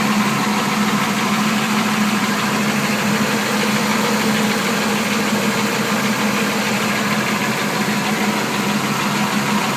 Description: Engine ticking sound coming from the bottom of the engine all spark plugs are good new flywheel installed with hardware thinking it's possibly a broken lifter